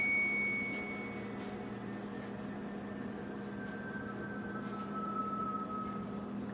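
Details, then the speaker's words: Brand-new freezer: after the door shuts, a thin whistle slides slowly downward in pitch for several seconds over a low hum, like a bull elk. Happens every time the door closes; source unclear. "Open, brand new, close. Weird. Whistling ice box. Whistling freezer."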